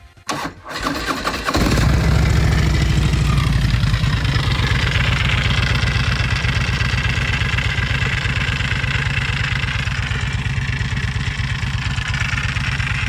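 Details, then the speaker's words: Harley-Davidson Road Glide V-twin starting and settling into a lumpy idle with a regular mechanical clatter rising with engine RPM, recorded before repair; noise traced to within the primary drive, possibly starter part, cause not yet confirmed. "Alright, so we've narrowed down the fact that the noise comes with engine RPM and it's coming from somewhere within the primaries. I don't want to jump to conclusions just yet because there could be any number of things within the primary that could cause that noise."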